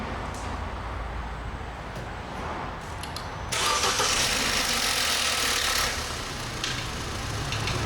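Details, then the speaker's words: Opel Astra, start before warm-up for an oil change: cranking whir then a harsh hissing rush as the engine catches, settling to an even idle; odd start-up noise, owner suspects the starter motor. "now it did make a funny noise there I think that's to do with the starter motor more so than anything I'm going to have to check that out"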